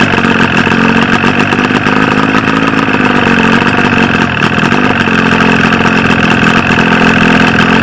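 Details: 1995 Force 40 hp two-stroke outboard with water in the cylinders, after flooding with fuel: loud buzzy running at a fairly steady speed but rough and uneven; firing on only one cylinder.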